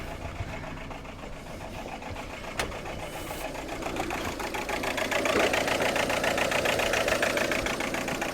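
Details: 2003 Ford Galaxy 1.9 TDi PD diesel, long-crank start then cuts out; crankshaft good, fuel pressure or injectors suspected, battery a bit flat. Idle hunts and shakes, uneven beat getting rougher and louder as it nears cutting out.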